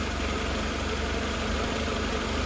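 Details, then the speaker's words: 1988 Mercedes 190E W201 after valve stem seal replacement; steady low idle, fairly smooth but shaking slightly; no misfire on acceleration; owner suspects idle speed and air hose adjustments, low on fuel. "Okay, that's actually idling fairly smoothly. It's kind of shaking a little bit."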